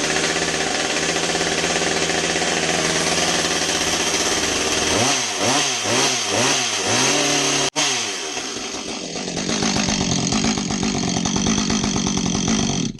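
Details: Husqvarna 555 chainsaw test-run after chain brake band replacement: loud high buzz held at full throttle, a few quick blips dropping to idle, then back up; revs cleanly and runs healthy.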